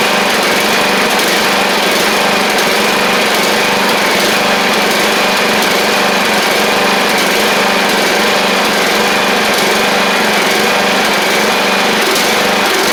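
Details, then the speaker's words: Troy-Bilt Pony 42X PowerMore single-cylinder engine after carburetor reinstall with WD-40 and carb spray: runs fast and buzzy with uneven surging about once a second; it shot out debris. "well it ain't perfect it is running though like I said it looked like it shot a bunch of junk out of it though"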